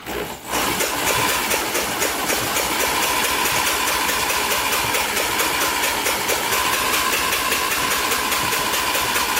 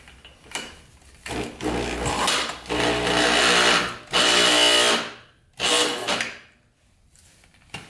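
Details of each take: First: 1987 Yamaha Warrior 350, previously seized engine spun over, spark plug removed; high even whirring with light ticks, no binding, turns freely; binds only with plug fitted. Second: 1987 Yamaha Warrior 350, previously seized engine, spark plug fitted, spun over with a drill; whirs then bogs and stops each time, engine binding internally, cause unknown.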